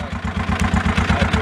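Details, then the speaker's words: 2016 John Deere Gator XUV 590i, 1,777 hours, jump-started, reported locked up before: fast, rough pulsing idle about twelve beats a second with mechanical clatter; abnormal engine noise, cause unknown. "I bought it not to even run, so it does turn over, it does run, but there is engine noise. It definitely has an issue."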